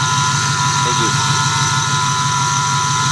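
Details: 2008 Ford F-150 4.6 V8 idling: a steady high whine from under the hood, present for a year; a mechanic found nothing, and the owner suspects the idler pulleys. Cause not confirmed.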